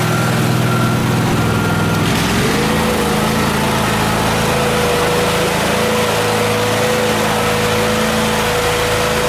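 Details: Miller Trailblazer welder restarted after the vacuum fuel pump was retrofitted with a 12 V electric pump: it catches and settles into a steady, even, smooth run; fixed.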